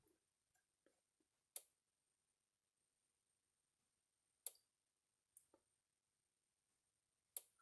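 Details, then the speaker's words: Gallagher Solar S100 fence energizer, light sensor covered to trigger night mode: sharp single ticks every two to three seconds, slower than daytime pulse to save battery; normal night-mode pulsing. "It thinks it's nighttime. Okay, kind of hear it clicking along there every second or two. If I put my finger over this thing, listen to the pulse and it'll go a little slower."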